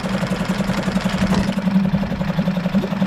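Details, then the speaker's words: Suzuki DF5A four-stroke outboard (2017 onwards), started by pull after a full service on the internal tank with the choke in: the engine ticks over at a steady, light pulse with no stumbles. Normal idle. "it's time to give it a pull might need two hands for this and there we go very light engine pull"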